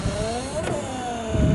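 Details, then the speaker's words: Volvo 940 estate rear wiper motor, with sticky black gunk found: an electric motor whine that sags and recovers in pitch as it strains through its sweep. The motor is labouring but works. "it sounds like it doesn't want to be doing that job"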